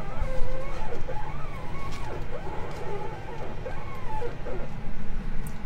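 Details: Tesla Model 3, began on a hot (35 °C) southern Italy roadtrip: sharp creaking squeaks rising and falling in pitch while steering, repeated; worn upper control arms squeaking.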